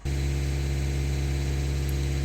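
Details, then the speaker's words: Suzuki Swift Dzire that stalled while driving, idling after a second-hand high-pressure pump was fitted: a steady, even, smooth low drone with no knocks, misses or hunting. The pump's pressure is consistent and within the acceptable range, so the stalling is resolved. "இப்போ நம்ம மாற்றின பம்பில் வந்து ஒரு consistency இருக்குது. So அதனோட performance okay தான், it is acceptable range தான்."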